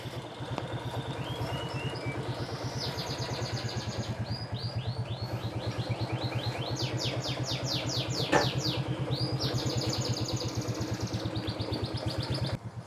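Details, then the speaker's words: Suzuki Shogun 110 after a new one-way starter clutch was fitted to fix kickstarter slipping. Steady, regular idle putter; the ticking comes from valve clearances set loose for mountain use. Normal idle. "Ini normal. Nah, yang kemeletek itu suaranya klep, setelan klepnya renggang karena motornya dipakai di pegunungan, jadi harus sedikit renggang."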